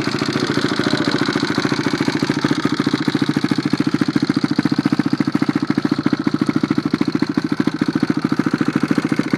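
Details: Freshly rebuilt engine on its first start after the rebuild catches and settles into a steady, even idle with no knocks or rattles; running fine.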